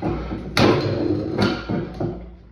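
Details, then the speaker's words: 1876 Otto & Langen liquid-fuelled atmospheric engine, first start on its vaporizing carburetor: heavy, uneven thumping bangs, about four in under three seconds, each a sharp blast dying away; normal firing. "really heavy there's a lot of but I mean it seems to be almost like a blast when it"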